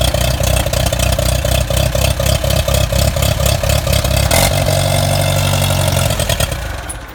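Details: Allis-Chalmers Model B tractor, first start in a couple of years after oil change, cleaned points, plugs, kill wire fix and cleaned fuel bowl and tank: uneven chuffing firing pulses settling into steady low idle; normal start and idle.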